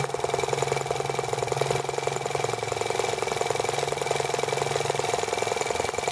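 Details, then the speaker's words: T26 model engine run slowly at idle: slow, uneven putting at about three to four beats a second with loose, irregular firing. The spark is arcing around the plug instead of firing cleanly. "hear the spark going around the plug."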